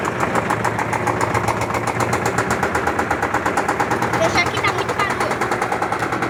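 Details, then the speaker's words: LT13B washing machine during a suspension test spin: rapid, evenly spaced knocks, about eight a second, as the drum slams the cabinet; very annoying suspension noise, likely an unbalanced load. "É muito chato esse barulho da suspensão. Muito chato."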